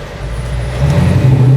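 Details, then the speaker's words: 1966 Mustang fastback authentic restoration with over 400 hp and a manual transmission, given a brief stab of throttle on the road. The deep V8 note climbs quickly and strongly, smooth with no knocks or misses: normal acceleration, revving fast. "la verdad fue nomás un picancito para tantear qué tal pero viste qué rápido revolucionó cabrón"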